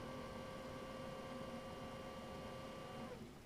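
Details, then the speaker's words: Sony CDP-CX455 400-disc carousel CD player after belt replacement, at power-on: soft, steady motor whine as the wheel rocks and turns in a circle, then stops cleanly after about three seconds; carousel drive working normally. "Oh, now I hear the wheel turning, rocking back and forth. It's going around in a circle."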